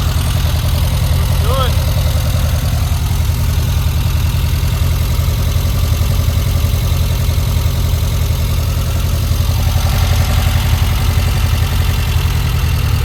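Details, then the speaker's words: 1952 VW Split Zwitter bus, newly installed 1904cc stroker flat-four (74mm crank, 90.5mm pistons) replacing the 1641cc, idles after the first start following exhaust cut-and-weld. A steady, even low thrum with no knocks or ticks; sounds good, valve adjustment planned later. "Wow. Looks good. Awesome. It sounds good. probably we're going to do a valve adjustment later."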